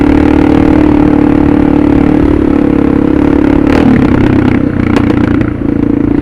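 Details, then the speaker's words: Suzuki DR650 with Procycle jet kit, 150 main jet, DGV2 slip-on, stock header, stock airbox, light throttle: a few sharp exhaust pops coming off throttle, "still a little diesel popping"; pair valve not yet removed, cause suspected, not confirmed. "Still a little diesel popping, but I haven't took out that pair valve yet."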